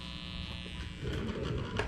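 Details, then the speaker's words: Vintage turntable after belt replacement, plugged into the receiver's front auxiliary analog input with its ground cable left unconnected: low steady mains buzz with faint high whine through the speakers, likely ground-loop hum from the unconnected ground wire. "Maybe this will work, although I have no option to hook up the ground cable to anything, so I'm sure we're gonna hear the static. So you can hear immediately like a buzzing noise,"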